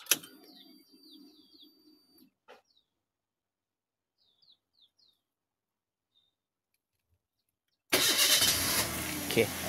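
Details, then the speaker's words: Toyota Avanza 1.5 restart test after fitting a new Century NS60L battery: quiet outdoors with birds, then the engine fires abruptly and settles straight into a steady idle; starts promptly and runs normally. "Kita test balik kita punya enjin. Kita matikan ni, dia hidup balik okey, matikan. Kita start. Tengok dia okey tak?"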